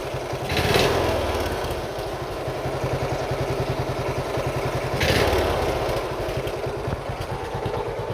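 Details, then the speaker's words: Single-cylinder Briggs & Stratton Intek race mower engine with a carburettor said to have an over-drilled jet: a rough chug with rhythmic knocking that swells each time the throttle opens. Owner suspects rich running or an overflowing needle; an exhaust leak is doubted. Knock under throttle. "Definitely has a little bit of a knock to it. That's just an exhaust leak, but I don't think it is. Although it is only on throttle."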